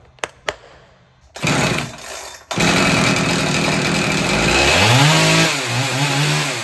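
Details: Husqvarna 372XP X-Torq chainsaw after ignition coil replacement, previously failing to spark and start, especially when warm: fires after a few pulls, holds a steady high buzz and revs cleanly; normal running.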